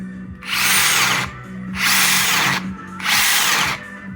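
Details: Makita 40V cordless 3/4" impact wrench, three short trigger pulls: harsh, rough vibrating roar; shop suspected loose motor bearing or bushing, but it was dry impact mechanism lacking grease; fixed by cleaning, regreasing and new silicone seal.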